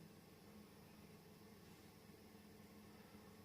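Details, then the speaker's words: Soft, steady airy whir with a low hum from an industrial 220-235 V AC fan on a variac, stepped up 50 V to about US wall-socket voltage and a little loud, with no rubbing or rattle; spinning up cleanly. "and now it's really turning up again we're now at the equal us AC wall socket voltage the fan is a little bit loud"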